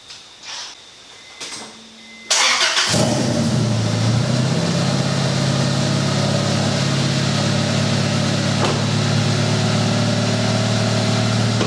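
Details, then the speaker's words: 1996 Honda Accord just after a head gasket job with new cam seal and rocker assembly torqued: cranks briefly, catches cleanly and settles into a steady, even idle with no misses or knocks; normal start, runs really good. "So, as you can see, the car runs really good. I'm really excited."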